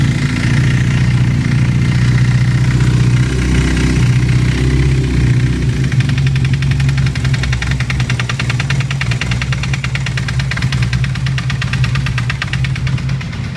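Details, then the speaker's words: Honda CBR 450 SR with an engine leak, running: steady engine note with faint irregular clatter; clutch lever use changes nothing; strange engine noise, cause unknown. "i lá eu sei que elas um barulho estranho motor vou ligar pra você ver"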